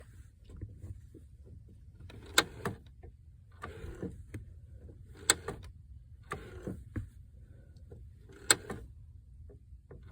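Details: 1997 Saturn SC2: sharp mechanical clicks from the clutch about every 1.5 seconds over a faint low hum; clutch clicking.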